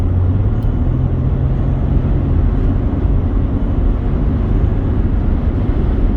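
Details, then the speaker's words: 2008 Mercedes-Benz ML320 diesel, about 172,000 miles, after resoldering the failed wastegate actuator (codes 2359 overboost, 2510 wastegate fault) and replacing dirty air filters: deep, steady drone pulls evenly under throttle, good boost, no power loss or cutback; normal turbo diesel acceleration. "but uh it's making nice Boose pressure now and it doesn't appear to be losing power and it's not cutting back"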